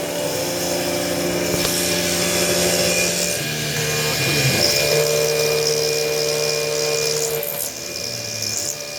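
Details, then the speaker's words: CNC machining titanium with a 1/8" 4-flute carbide endmill, coolant possibly blown away from the cutting edge, where an endmill broke before: steady spindle hum, even cutting tone, no chatter or squeal; cut sounds good, chips forming. "it looks good it sounds good it's producing chips so that's good"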